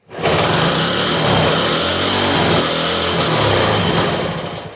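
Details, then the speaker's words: 1963 Honda Sport 50 (CA110), first start in years, spark plug and carburetor unchecked, on choke with fuel fed in: the small single fires and rattles hard at full throttle for about four seconds, then fades and dies; owner blames the carburetor for fuel starvation. "Well, it won't stay running, which is probably 100% in the carburetor."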